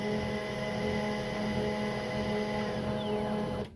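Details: HP LaserJet 1020 printer after a grinding noise fix: smooth, even whirring hum with no grinding or clicking, then a clean stop; normal operation.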